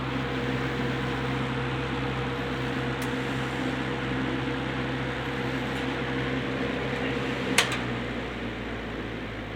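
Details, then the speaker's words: Rebuilt Wizard window box fan (bearing caps transplanted from a Lakewood X 22) in window on low speed: steady even whir and soft constant hum, no ticking, rubbing or grinding; nice breeze, normal running. "on the low speed. It puts uh it puts out a really nice breeze."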